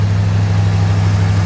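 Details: AK 427 Cobra replica first start after build, cold day, headers smoking off paint/labels: deep steady idle rumble with no misses, ticks or knocks, smooth and even. Normal idle.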